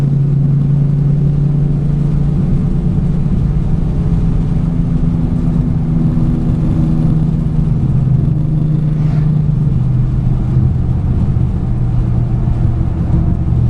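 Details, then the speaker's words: Ignition misfire on an 08 Ford Mustang GT V8 while driving under steady throttle: deep rumble with a slightly uneven, stumbling beat; dealer reported 5 bad coils, before replacement with MSD Blaster coil-on-plug set, which fixed the misfire. "I got a report from the dealer when I took it up there, said that it had 5 bad coils, so it had been misfiring. So let's see if we can capture what that sounds like."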